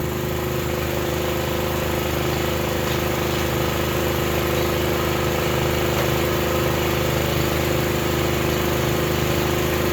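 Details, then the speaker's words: Honda GX240 engine on a manlift after replacing its very loud muffler, now about half as loud, as the lift is raised under load: a constant, even engine note with no misses or rattles and a subdued exhaust; normal running. "so I unhooked the front arm the pin there I'll do the back one and then we'll raise this up put it under load and see if it sounds better"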